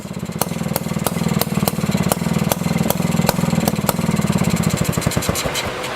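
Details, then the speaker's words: 1955 Messerschmitt KR175 two-stroke, first start after 60 years sitting, on the second try: rapid even crackle catching and settling into a steady regular idle; it runs. "goodness gracious second try this is amazing it runs"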